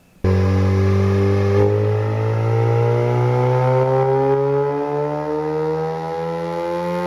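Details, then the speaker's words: Mazda RX8 rotary on dyno; smooth note climbs steadily in pitch through the pull but never reaches full-throttle aggression, not going wide open because ABS was not pulled and traction control stayed active; throttle-limited dyno pull. "The car had an issue where it wasn't going wide open because these cars, if you don't pull the ABS"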